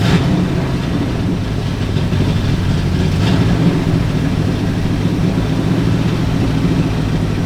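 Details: Ford Galaxie with 289 or 302 V8 (uncertain), freshly started, timing and carburetor secondary not yet set: deep, steady rumble held at a raised idle; fast idle, suspected from timing, which they plan to back down.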